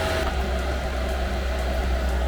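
Steady, even low fan roar with no surging or rattles; the heater is running its normal cool-down before shutting itself off.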